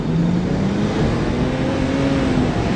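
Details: BMW E90 335i N54 with new plugs under full-load acceleration, fuel pressure holding better: strong clean pull with the note climbing steadily, no stumbles or misfire; healthy and noticeably faster.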